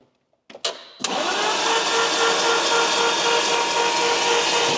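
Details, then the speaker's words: Lamborghini Gallardo, long unused and apparently flooded, cranked and not meant to run: steady fast, even whirr with no firing. Oil tank emptied and no oil pressure built yet, so oil is being added to prime. "let's put some oil in it anything will'll do at a minute cuz we're obviously not going to run it we just want to see if we can get pressure up"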